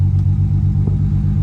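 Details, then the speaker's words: 2007 BMW E92 335i, restarted after clearing codes, with cylinder 5 misfire code appearing after a hard pull: deep, lumpy idle with uneven dips; check engine light returned at once; cause found to be a faulty ignition coil. "now you don't have to engine light but since we have a misfire it should come back very soon"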